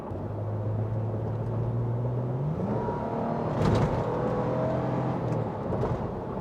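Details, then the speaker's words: 2007 Toyota FJ, 288,000 miles, previously sluggish with no power and rough idle and no check engine light; after the fix, hard acceleration pulls strongly with a smooth climbing note and no stumbles: normal acceleration. "Ooh, almost barked a tire. Feel like I'm a Mario Andretti. Woo! Got plenty of pep now."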